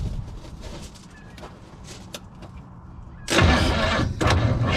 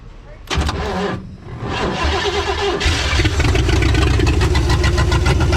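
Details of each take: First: Freed-up formerly seized Chevy 400 V8 in a 1963 Chevy Stepside, no fuel yet, spark tester fitted between plug and lead: starter spins the engine at an even, quick rhythm with a short pause; cranks freely, no firing. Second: Freed-up formerly seized Chevy 400 V8 in a 1963 Chevy Stepside: cranks, catches, then lumpy, uneven idle with a stumbling beat; engine runs but rough.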